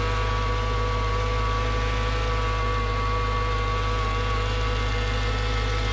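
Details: Mercedes CLS55 AMG M113K supercharged V8 after billet UPD idler pulley replacement (was squealing): steady loud drone with whining tone over smooth idle, not settling once warm; owner suspects supercharger, not pulleys; abnormal engine noise.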